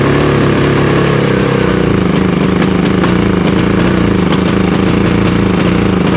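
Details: Harbor Freight Predator 5000 generator running on gasoline (also runs on propane, where it backfired): steady drone with an uneven, lumpy beat; same rough running on both fuels, so owner suspects a cause common to both, not fuel type.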